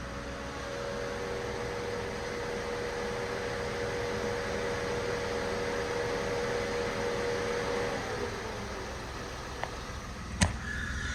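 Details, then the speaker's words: Peugeot 107 idling: steady mid-pitched whir from the electric coolant fan over a calm idle, then it winds down and stops; fan cycling normally, good temperature. "yeah, so the coolant fan is kicking in and out, and you know, we're getting good temperature inside."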